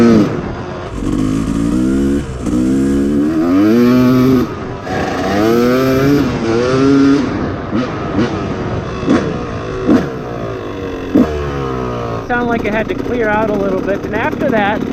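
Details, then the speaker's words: 2004 Yamaha YZ250 two-stroke, jetting already leaned but still rich, warming up while ridden: revs rise and fall with uneven, burbling spits before it clears and revs out, with a big smoke cloud; rich on the bottom end. "Make sure the radiators are starting to get warm here. Yep. Definitely sputtering."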